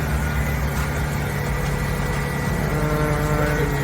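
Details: 1995 Ford F-150 after rear fuel pump replacement, running on rear tank after switching from front: smooth idle rising a little midway, steady hum, no stumbling; healthy running.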